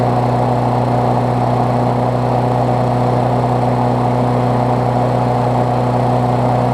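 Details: Briggs Classic single-cylinder swapped onto a Bolens push mower deck, first run after fresh gas and 16 oz oil, temporary throttle: smooth, even drone at steady speed, no misses or knocks; running properly.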